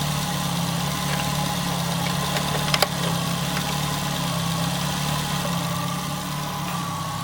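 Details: Nissan Altima, exhaust manifold crack checked for leaks: steady, smooth low idle with even hum, no ticking or puffing; exhaust sealed, engine healthy.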